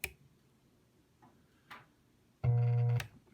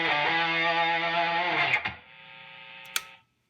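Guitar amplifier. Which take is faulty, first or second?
first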